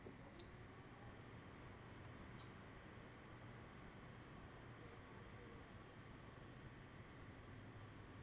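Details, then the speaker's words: Enermax LIQFusion 240 AIO liquid CPU cooler mounted upside down, pump heard: a faint, steady low hum with a light whir and no rattles or gurgles, far quieter than a previous Enermax cooler, pump running normally. "the last Center max cooler that I used sounded like freaking 747 this one is a lot more tolerable"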